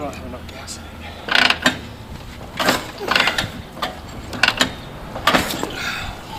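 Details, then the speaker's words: 1949 Harley-Davidson Panhead, original paint: five or six kickstarts with dull clunks and ratchet rattle, never fires; owner suspects gummed carburetor and stale gas, needs fresh fuel. "come on mm that was not the motorcycle's fault they have to be ridden be ready get out get the gum out of the carb you know with fresh gas novel concept fres gas"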